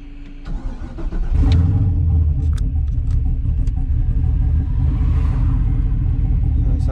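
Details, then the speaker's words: Turbo Sierra truck during street tuning of the VE table: cranks briefly, fires after about a second, then holds a low, slightly uneven idle; fuelling very, very lean. "like it's idling. Yeah, very, very lean."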